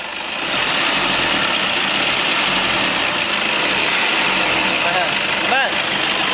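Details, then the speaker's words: Toyota Innova diesel idling warm after 15-20 minutes: thin, steady high squeal and brief chirps from the alternator V-belt slipping, growing gradually; belt then replaced. "यह जो आवाज है यह alternator band का"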